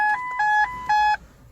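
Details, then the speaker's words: 2010 Ford C-Max diesel that stood six months with the battery disconnected: three even two-tone chimes, with all warning lights on and the immobiliser blocking starting. The cause is cold solder joints at the instrument cluster connector pins. "przyczyną jest nie cała instalacja elektryczna Ani inne rzeczy tylko zegar piny w kostce które są podłączone podłączenie zegarów trzeba wyjąć zegar i zimne luty poprawić na wtyczce"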